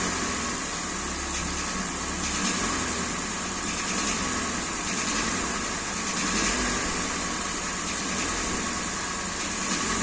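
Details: Kia Sportage 3 engine at about 100,000 km, before teardown: steady running with a hard metallic tapping over the idle; engine knock from a scored cylinder.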